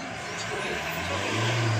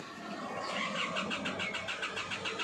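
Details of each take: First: Isuzu MU-X diesel that had a hard start with rail over-pressure (about 221,000 kPa) and a fuel rail pressure sensor circuit high code, now running after a swapped rail pressure sensor: steady even hum, slight swell, no misses or knocks. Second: Isuzu MU-X diesel, hard start, reading 221,000 kPa rail pressure (over 200 kPa even key-on), code fuel rail pressure sensor circuit high: steady cranking at about six beats a second with no firing; replacing the sensor fixed it.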